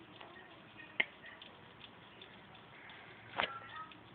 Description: When i turn my ps3 slim on it makes a cracking noise and it doesnt let me play my ps3.